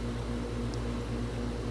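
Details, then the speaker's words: Tempstar heat pump outdoor unit, called for no heat: steady low hum with constant electrical drone and even airflow, no knocking; compressor running normally with warmth, though indoor blower found not working (bad fan capacitor). "okay i think i hear the compressor [Music] and a little bit of warmth happening pretty quick"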